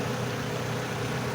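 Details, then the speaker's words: Owner's own diesel after adding a metal-coating engine additive, which had a loud clattering tick before; steady even idle rumble with no ticking or knocking; normal idle after treatment. "เงียบมันเงียบมันเงียบนะครับเียนเครื่องเดินปกตินะครับ"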